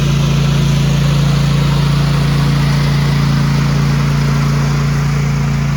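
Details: Cub Cadet ZTS2 zero-turn mower, twin cylinder, warming up after a coil fix (it used to drop a cylinder after about 5 minutes): strong, steady drone with even pitch, no dropouts; both cylinders firing properly.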